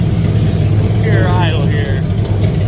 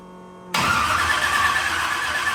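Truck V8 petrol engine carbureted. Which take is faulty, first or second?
second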